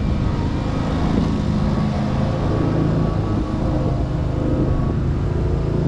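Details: 2003 Wright Stander, 23 hp Kawasaki V-twin, after the wrongly hooked-up parts were sorted out: steady, even drone with no stumbles or surges, revs holding constant. It is running as it should.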